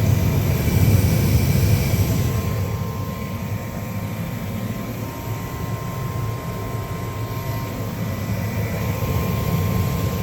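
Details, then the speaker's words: 70,000 BTU upflow Lennox furnace after replacing the pressure switch: igniter glows, then a steady even low roar with faint constant tone, no puffing or surging; burners firing normally. "got my new switch in, and now we just wait. The battery's glowing. And burners are fired up."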